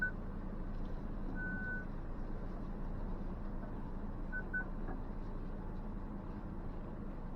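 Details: 2023 Ford Ranger Tremor crawling an off-road trail: a few short high pings over a low engine rumble as the parking sensors pick up nearby branches; a normal parking sensor warning.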